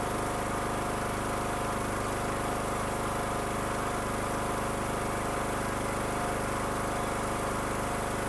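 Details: Craftsman riding mower after gas got into the oil, oil changed to full, new air filter, started on choke: steady, even drone at fast idle with no knocks or stumbles; running normally.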